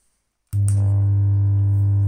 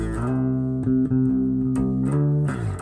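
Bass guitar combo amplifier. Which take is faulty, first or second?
first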